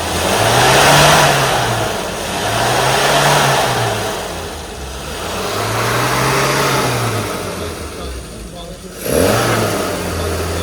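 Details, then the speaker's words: Car after a carburettor fuelling and timing tune, throttle blipped to half: revs climb and fall cleanly with no spluttering; before the tune it had flat spots and spluttered. "So really responsive now. Before you'd put your foot down and there was like either flat spots or it'd splutter and trying to overtake was a joke."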